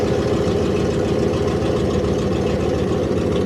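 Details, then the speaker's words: Car unused for a long time, battery just installed and fuel pump primed, idling right after first start: low, smooth, even rumble with steady beat, no knocks or misses; normal idle. "Never works the first time, but we'll let that fuel pump build some pressure up there, and yeah. Holy crap, it worked."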